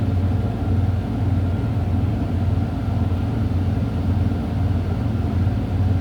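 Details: Semi truck started after a safe start with both brakes pulled and in neutral, building air from about 100 PSI toward maximum: low, steady diesel rumble with an even beat and no knocks or grinding; normal idle.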